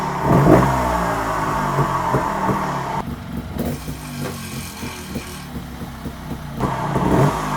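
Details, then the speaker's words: TRS 300 RR motorcycle, fully warm after 10-15 minutes, being blipped: uneven metallic clatter rising with revs; suspected loose or fallen-out sump bolt vibrating, first thought to be flywheel. "the bolt right it sounds like the bolt for sump has fell out again and that's what that noise is it's vibrating and there's me thinking it's coming from inside fly wheel"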